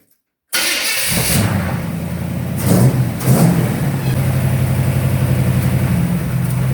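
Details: 1954 Fargo truck, freshly installed driveshaft, engine and transmission working well, warm-up start: catches cleanly after silence, a couple of crisp blips, then settles into a steady even idle; engine runs healthy.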